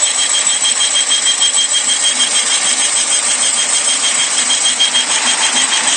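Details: 2001 Saturn SL manual at idle: steady high-pitched flute-like whistle, constant in pitch, seeming to come from around the intake manifold. It persists with the drive belt removed; cause suspected, not confirmed.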